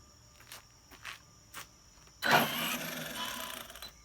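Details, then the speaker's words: Arrma Kraton EXB 1/8 monster truck after differential teardown, shimming, fluid check and fixing the pinion grub screw rubbing the motor mount: soft taps, then a smooth electric whir with no gear clatter; quieter drivetrain, though owner still suspects a differential problem. "It definitely sounds a lot better, guys. Bring it back this way. That definitely sounds a lot better. I'm not hearing any of that gear noise I was before."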